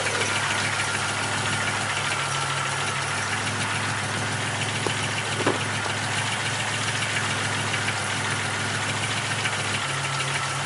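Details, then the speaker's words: Buick Grand National rebuilt engine, under 150 miles, in break-in: steady idle with faint uneven tapping and a couple of sharper clicks; unchanged when each spark plug was disconnected, owner hopes it isn't a wrist pin, cause unconfirmed. "I disconnected all the spark plugs and they didn't make a difference one at a time. So I'm hoping it's not a wrist pin."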